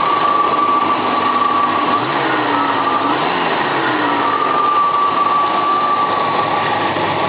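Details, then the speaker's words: Dodge Aspen wagon, cold with the automatic choke on, recorded at the tailpipe while revving: a ragged, uneven sputter. Owner suspects it isn't firing on all cylinders; it also uses a lot of fuel. Exhaust sputter. "It's really sputtering back here too. I don't think it's firing on all cylinders."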